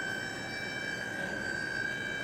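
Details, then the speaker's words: Cheap eBay DC PWM dimmer driving an inductive load during testing: loud, steady high-pitched whine that never wavers; PWM switching noise that LED strip loads would not produce. "listen oh that annoying pwm okay not cool at all it's not cool at all"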